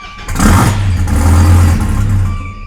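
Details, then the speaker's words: Gen5 Viper, cold start after fuel system prime, check engine light and red lightning-bolt warning on: cranks and catches, then a low, uneven, wavering idle struggling to stay running; usually barely idles and nearly dies. Cause not found. "It's actually, because it's a cold start, I think it's idling a little bit better, but usually it's barely idling and just fluctuating, almost dying nonstop."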